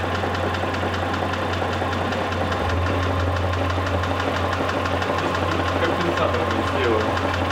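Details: Mitsubishi Pajero III, 6G74 3.5 L GDI engine, at idle: a sharp metallic tap about three times a second, evenly spaced; a clear internal engine knock, source unknown.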